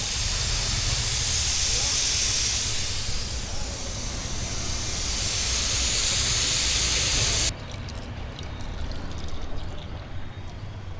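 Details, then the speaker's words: Mitsubishi Pajero with a weak, month-old battery: a loud steady hiss over a low engine rumble drops off sharply partway through; coolant leaking at the top radiator cap. "അത് റേഡിയേറ്ററിനകത്തൊരു ലീക്കുണ്ട്. റേഡിയേറ്ററിന്റെ ടോപ്പിന്റെ അടപ്പിനകത്തൊരു ചെറിയ ലീക്കുണ്ട്. അതാണ് അടുപ്പിച്ച് നല്ല sound വരുമല്ലോ."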